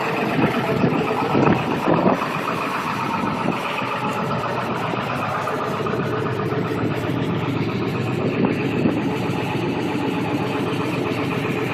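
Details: 7.3 Powerstroke diesel at about 30 degrees, new glow plugs, glow plug relay and batteries, plugged in about 5 hours, started with starting fluid and run about a minute: loud uneven clatter without steady beat; no-start cause still unknown.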